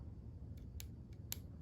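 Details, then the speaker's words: Porsche 944 (924/928/968-type) windshield wiper motor bench-tested off the car, wired straight to battery: sharp irregular clicks over a low hum with no spinning, meaning the motor is seized; it is then disassembled, cleaned and rebuilt. "Okay, I can hear the motor clicking, but it's not spinning. So that means it's seized up, it's broken, and we can fix it."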